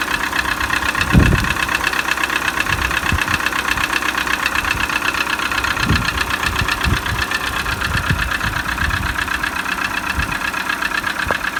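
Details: Peugeot 307 1.6 engine at steady idle with a sharp knock about four times a second, not fully even; engine knock of unknown origin.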